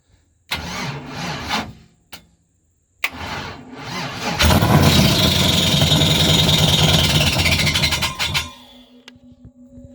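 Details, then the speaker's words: LS V8 swapped Nissan Altima first fire: two rough uneven cranking bursts with harsh whirr before the engine catches and runs about four seconds; starter is bad. "boy that sounds sick other than that starter god it sounds sick"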